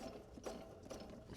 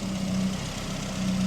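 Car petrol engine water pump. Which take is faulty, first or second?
first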